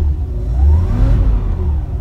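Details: Budget squad car, off the road over a decade, first start after fresh oil, topped-up fluids and carburetor primed with quick start: engine catches and revs up smoothly, pitch climbing then settling, no knocks or misses; healthy normal revving.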